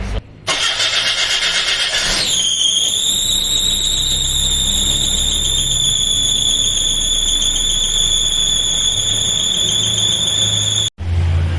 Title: HOW TO FIX? Fan Belt SQUEAKY NOISE on any car